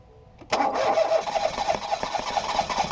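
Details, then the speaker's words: 2018 Ford Focus SE parts car with suspected water in a cylinder, plugs reinstalled after blowing out fuel-smelling fluid; engine spins over at an even rhythm but never fires or picks up speed; owner suspects a drained battery; engine-fault message displayed. "it's trying but oh it's not trying anymore maybe I killed the battery too much"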